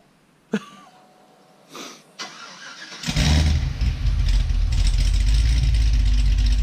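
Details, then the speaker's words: Cadillac CTS-V on a stock muffler setup, first start after the build is finished, recorded from the back: clicks, cranks, catches firmly and settles into a strong, steady idle; a tapping is noted. Normal start and idle. "that sounds good just let it idle oh that sounds good"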